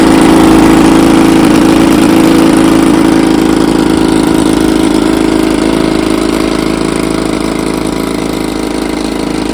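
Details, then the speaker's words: 1954 Evinrude 7.5 HP outboard, restored with a replaced power head after the original froze, in a test barrel: steady, even two-stroke buzz at fast idle with no stumbles or knocks; normal running. "She's a Beauty runs like a champ got her out here on to B Lake Bar tester"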